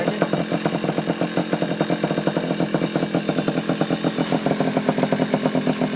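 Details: Yamaha Chappy two-stroke after HPI ignition install, stator had been shorting to the case, owner suspects too many grounds: crisp, regular popping at a steady quick rate, clean firing, no misses; now running normally.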